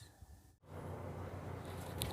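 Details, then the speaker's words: Washing machine after a repair for a strange noise during spin: after a brief pause the drum spins up to a steady, even low hum with no grinding or rattle; noise gone, normal spin. "lavadora Já energizada e já em centrifugação barulho acabou ok aqui única coisa que vai fazer aqui agora é centrifugar tá bom perfeito máquina lavar silenciosa perfeitinha"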